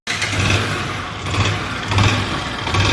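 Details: Bajaj Discover single-cylinder bike after replacing rocker arm whose small needle bearing had come out and caused top-end noise: fires up and settles into a steady, even beat with no ticking; valve gear sounds healthy.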